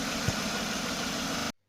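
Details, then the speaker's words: 1995 Jaguar X300 4.0-litre six-cylinder after re-tensioning the accessory (alternator) belt that squealed when cold: even, steady idle hum with no squeal or whistle; fixed, cold-start check still pending. "donc là on a plus du tout de couinement donc c'est sympa et favorable"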